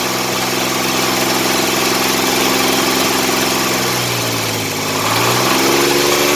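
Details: 1985 Chevrolet S10, 2.8 two-barrel carbureted V6, 2WD automatic, almost 60 psi oil pressure; steady idle with fairly regular tapping about three to four a second. Engine knocking noise, suspected internal, source not yet traced.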